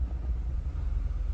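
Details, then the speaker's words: 2020 Nissan Altima idling in gear with code P10C3 (fuel injector control module): an uneven low rumble with an irregular shake that never settles. Misfire, pointing to a faulty fuel injector. "السياره هي فيها مشكله عم تقطع السياره نجي نشوف نشغل السياره ما اذا صوته واضح ولا لا بالفيديو دي هذا المهم السياره قاعده تقطع"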